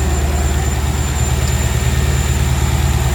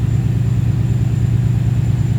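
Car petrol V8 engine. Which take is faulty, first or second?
second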